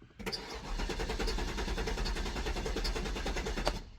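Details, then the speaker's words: Cadillac STS, low mileage, after sitting a year in the woods: starter cranks the engine steadily for about three seconds without catching; fuel gauge was very low. "we thought of one thing and you guys probably already including because you saw the instrument panel that I wasn't paying attention to and that is that the fuel gauge was very very low"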